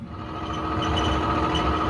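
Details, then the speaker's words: 5-year-old Whirlpool Cabrio clothes dryer running with a steady hum and a dry fast rattle plus thin ringing tone from the back, now quieter than before; cause found to be a failed idler pulley bearing. "That's the sound it's making. Kind of a rattling noise coming from the back."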